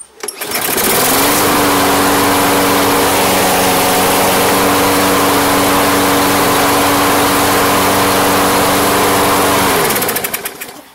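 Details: Toro Personal Pace electric-start mower, sat all off-season with no start, after fresh fuel: starts, holds a steady even governed hum for several seconds, then winds down smoothly; no surging or sputter, running properly.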